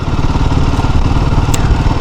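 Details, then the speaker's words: Royal Enfield Himalayan 452 on the highway, upshifting from third at about 35 km/h into fourth under light load: a deep, even thumping with no rattle or pinging, so the engine runs normally with no knock. "it's fine not a problem engine no knocking let me shift to the fifth gear"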